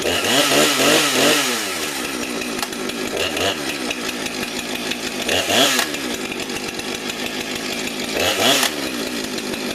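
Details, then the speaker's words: Husqvarna 455 Farm Tough chainsaw, about 5 years old, original chain sharpened once: crisp two-stroke scream rising on three throttle pulls and dropping to a clean idle, no bogging or sputter; healthy normal running. "it's a good runner but I had that Fame for about almost 5 years"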